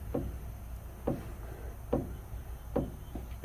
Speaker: you hear that clunking that's the pinion gear hitting the ring gear amazingly enough this thing lost its preload and the rear diff so it has got bearing problems